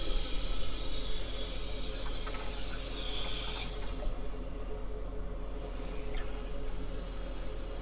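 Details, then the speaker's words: Toilet tank with deteriorated flapper mount, water level high: steady hiss of water rushing in that never tapers or stops, fill valve not shutting off. "now this valve does not turn off at all look at that just keeps"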